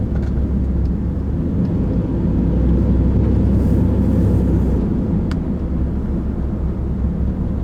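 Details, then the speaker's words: 2007 Ram Chrysler 9.25 rear differential after rebuild, filled with 3 quarts of thick gear oil, road test: steady low road rumble with no gear whine rising or falling with speed; the rear axle sounds healthy. "I don't hear any rear end noise at all. I mean, you would hear it at 20 miles an hour."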